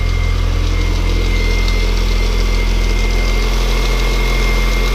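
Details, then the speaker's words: R53 Mini Cooper S first start after supercharger replacement, about five seconds with no radiator or coolant: steady fast idle with a light metallic rattle from the unoiled chain tensioner and dry water pump. "Yeah, okay, good. It's just the chain tensioner had no oil in it there, obviously. And water pump had no water in it, so that was rattling a little bit."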